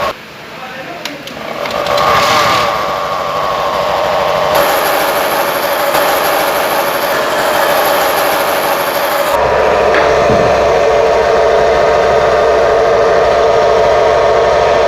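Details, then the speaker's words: BS6 Honda Activa 6G scooter, riding: loud steady droning whine shifting pitch with speed, like a generator; gearbox noise, worn gearbox bearings or gears suspected, unconfirmed. "यह गाड़ी कम और पपिया ज्यादा लग रही है इतना song दे रही है और ऐसा लग रहा है कि हम गाड़ी नहीं चला कर कोई जनरेटर चला रहे हैं"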